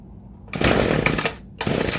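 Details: ECHO SRM-230 two-stroke trimmer, cold start after a spark plug change, primer bulb pumped, on full choke: buzzy first catch that stumbles out, then fires again; first fire on full choke, so switch to half choke.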